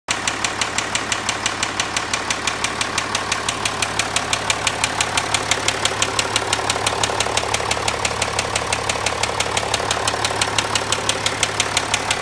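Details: Land Rover Discovery 4 at 64,000 km, idling: sharp even ticking about three per second, locked to idle speed; owner reports crankshaft failure.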